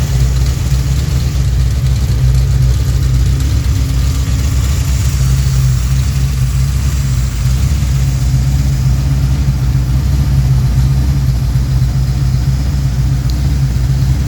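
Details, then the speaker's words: Freshly built Pontiac 428 V8 for a 1966 GTO, tri-power, mild cam: idle turned down to about 750 rpm, deep steady even lope, no misses or knocks; normal idle, not radical. "That's what the idle turned down a little bit. So like I said, it's not a real radical idle. It's got a really nice idle to it."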